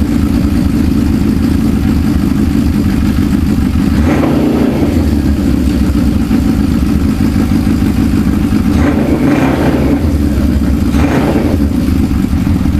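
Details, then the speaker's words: Suzuki GS550 cafe racer, previously running on three cylinders with cylinder 3 dead, after carb strip and reassembly: even four-cylinder idle burble with clean throttle blips; all four exhaust pipes now hot, all cylinders firing. "so all four cylinders are working and it sounds bloody good really bloody good"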